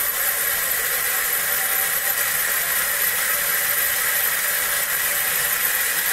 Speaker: turn it up clockwise, and there we hear the characteristic motor whine from this motor. That's the switching frequency.